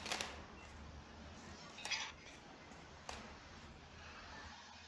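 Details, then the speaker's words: Sharp, gritty crunches at each footstep in a quiet room of a 504-series apartment, recorded by phone: a cement screed poured on a thin 5–10 cm floor slab creaks and crunches throughout the flat, blamed on poor installation practice. "Ну вот, стяжка, в общем, сильно скрипит. Со слов заказчицы, скрипит по всей квартире."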